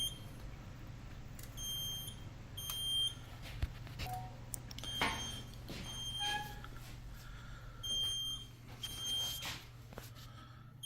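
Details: Edwards EST3 fire alarm panel: short high beeps in uneven pairs and singles over a low hum as the panel sounder goes off. What the alarm means isn't clear.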